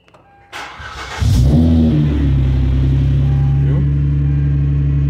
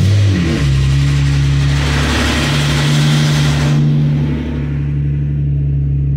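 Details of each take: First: Hyundai Azera 2007/2008 3.3 with a faulty CVVT pulley that rattles for 5–7 seconds on cold start, restarted warm right after: a brief crank, then a clean catch into a smooth, even idle with no rattle. Normal warm start. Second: 2007/2008 Hyundai Azera 3.3, cold start after two weeks parked: a hard, rapid, machine-gun-like metallic rattle over the idle for 5–7 seconds, then it stops; CVVT cam phaser rattle.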